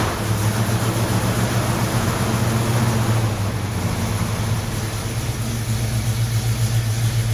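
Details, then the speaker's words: 1974 AMC Javelin now hard to start, carburettor passing excess fuel around the venturis: low, uneven, lumpy idle with irregular exhaust shake; running rich, unable to burn the excess fuel unless at higher RPM. "okay unless we're running at a higher RPM it's not going to be able to burn the excess fuel that's getting into the intake it's getting past it's going around the venturi's that are measuring the fuel"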